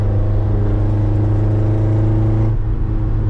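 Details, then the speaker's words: Ford Ranger under way, recorded in the cab with windows open, after a cherry bomb muffler was welded into the pieced-back-together exhaust: deep, steady low drone with no rasp, blat or leak ticking, much quieter; normal exhaust note. "this thing is so much quieter now. I mean, you can still hear it cuz I got all the windows open,"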